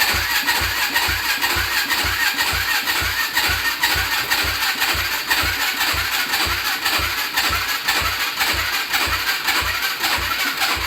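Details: Yamaha Blaster ATV with a swapped YFZ 450 single-cylinder engine, after switching the fuel to reserve: loping thump about two per second under a raspy exhaust, steady without dying or sputtering; normal idle.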